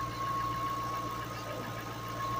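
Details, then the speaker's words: 2008 Ford Mustang Bullitt salvage-auction car, front-end damage, broken inner tie rod: even, steady engine note with a faint high tone and no uneven beats, revved a little; engine sounds pretty good and runs smoothly. "Let's see. Rev it up a little bit. It sounds pretty good."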